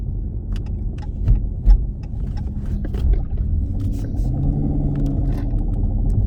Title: 2016 Challenger Scat Pack Bad Carrier Bearing